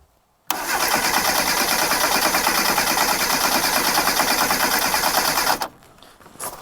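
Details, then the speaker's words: 1998 Reliant Robin Mk2 barn find, carburetor just rebuilt, choke on: starter churns steadily about three beats a second for five seconds and never catches; no start because a spark plug lead was off. "Well, I won't start with spark plug lead off, so we better put that back on."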